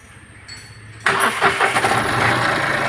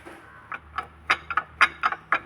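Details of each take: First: Mahindra Quanto diesel, towed in for water pump noise and coolant-leak overheating, coolant refilled and idled 10–15 minutes: starter catches quickly into steady even idle, no water pump bearing growl or squeal; normal start and idle. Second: Mahindra Quanto towed in after overheating, belt removed, engine off: uneven dry clacks, about four per second, as the water pump is turned by hand, with coolant leaking and the bearing loose; failed water pump bearing.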